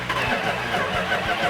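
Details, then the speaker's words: Restored 1970 Cuda with a 340 engine, never run on the engine stand, first start attempt: steady rhythmic cranking at about four pulses a second that never catches or fires. Firing order and timing checked; a fuel starvation problem is suspected. "in this particular case it's not a good sign because it's cranking over but it's not firing"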